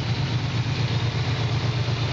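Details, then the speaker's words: 1967 Chevrolet Camaro V8 during inspection, dropped to idle via the electric choke: deep, steady burble with an even, regular pulse and no misses or knocks; settles quickly and runs very regularly, healthy idle. "il s'est mis au ralenti donc par l'intermédiaire du starter électrique c'est mieux ralentit très vite et ils tournent très régulièrement"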